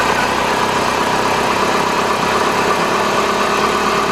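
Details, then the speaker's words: Chrysler PT Cruiser 2.4 L after timing belt, water pump and radiator replacement and fresh oil, first start: even, steady idle hum with no knocks, misses or surges; settles into a healthy, smooth idle. "Yeah, it runs just like a PT Cruiser. That's not bad. That's not bad at all."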